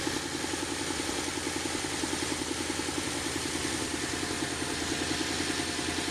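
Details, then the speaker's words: Wood-gas truck with an automixer idling on poor-quality wood gas after sitting off for a while: a pulsing, hollow, uneven idle at about three and a half beats a second. Rough running from bad gas. "now I think we're heading up for a stretch of some bad gas here so yeah since I'd had the truck off for a while that uh that's where that bad gas came from"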